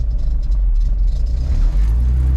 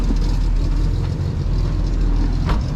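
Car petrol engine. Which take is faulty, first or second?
first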